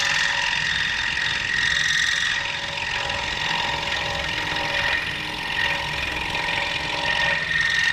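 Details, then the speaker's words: King Industrial scroll saw cutting wood with a fast, even buzzing chatter and a steady high singing note, no catches or stalls, faster than a coping saw; normal scroll saw cutting. "as you can tell i got a pretty decent cut okay it's a lot faster than cutting on cutting with a coping saw"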